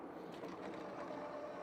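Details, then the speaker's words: Mokwheel Obsidian ST e-bike at 20–25 mph after lubricating the front hub: only steady wind and tyre rush, the earlier whine from the front hub is gone. "20 mph, no noise. 25, still no noise. So, it looks like all it needed was a little bit of lubricant there on that front hub."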